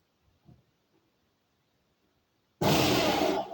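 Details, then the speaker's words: Makita ELM3720 electric lawn mower (1.4 kW, 2020 model), test after a blocked-belt repair with a new part fitted: silence, then a strong, even motor rush holding about a second before tapering, running normally. "Okay. Strādā. Strāvas atvienoja."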